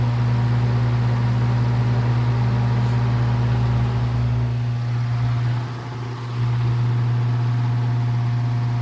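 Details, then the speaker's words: Circa 1948–1950 Hunter CG-16 industrial fan, bought weathered from an antique store, running after the oscillator mechanism was freed and lubricated: strong, steady low hum with even drone, no rattle or scraping; normal fan running. "well it's not crazy it's really not crazy you used to hear that sound all the time there those things running"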